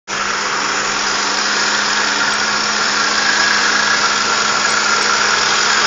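Constant airy hiss over a steady low hum as the engine runs, rising slightly; source unconfirmed, possibly a vacuum leak.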